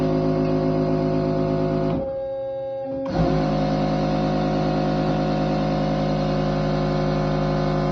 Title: Test Run After Repair - Bosch Servo Valve - 0 811 404 605